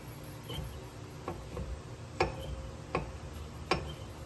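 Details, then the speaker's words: Jeep TJ with G2 Dana 44 rear disc brakes: sharp metallic ticks about every three-quarters of a second with wheel rotation from the driver-side rear, where the rotor dug into the worn pad; passenger side quiet. "yeah that's my that's my squeaky wheel the uh passenger side is actually quiet that noise is coming from the other side so check this out"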